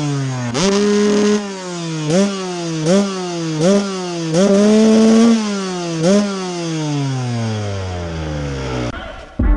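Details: Restored 1998 Honda CR125 two-stroke motocross bike with FMF exhaust: crisp throttle blips, each rev snapping up cleanly and falling smoothly back to steady idle; normal running.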